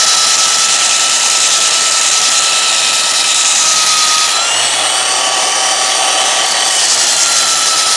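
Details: Restored roughly 65-year-old all-metal Craftsman belt sander hand-held as a bench sander, work pressed onto the belt; steady high whine with belt hiss, pitch dipping slightly under pressure. Running healthy under load.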